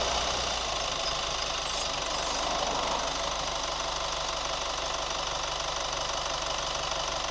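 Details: New Chevy Colorado at idle: light quick tick about three per second, steady and unchanging; source of the tick unknown.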